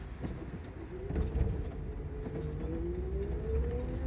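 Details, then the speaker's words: Lotus Elise EV conversion with Hyper 9 HV motor and Tesla module batteries, driving: near silent, no engine sound, faint motor whine climbing in pitch with speed and soft pump hum behind; normal electric drivetrain. "as you can hear, there's virtually no sound from this car. There's no engine sound. You could hear a slight motor one as the motor spins, and you could hear somewhat of a pump behind us."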